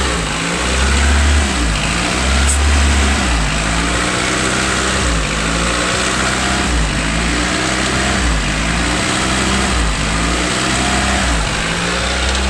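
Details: 1992 Honda Accord after timing belt and water pump replacement: idle hunts up and down roughly every second and a half instead of settling; owner suspects dirty idle air control valve.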